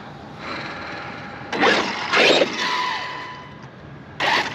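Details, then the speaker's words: Traxxas X-Maxx with a Max6 ESC and TQi radio, after throttle calibration (neutral, full throttle, full brake). A steady, high electric whine comes in short bursts as the motor spins in reverse with no grinding; reverse, which failed before calibration, now works. "you see, reverse works now, and it wasn't working when we started, and that's because the calibration was off for this controller."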